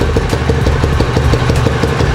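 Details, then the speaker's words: Italika Z-200 single-cylinder idling after the right-side clutch noise was fixed: uneven firing pulses that drop out, speed wavering; still uneven when revved, a fault present before the repair, misfire suspected. "Y si escuchan, está como dispareja la aceleración. Y ya tratamos de acelerarlo un poco más y sí acelera, pero continúa como con ese tipo de falla."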